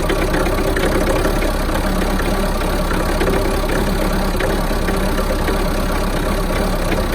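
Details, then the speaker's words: Mahindra Roxor diesel cold start in winter: loud clatter at idle with an uneven, lumpy, missing beat; runs rough for the first one to two minutes after starting, then settles out. "so when you initially start the rock saw it will I do a little rough for about one to two minutes then everything settles out so most I've noticed when it starts is like it's missing it's really rough"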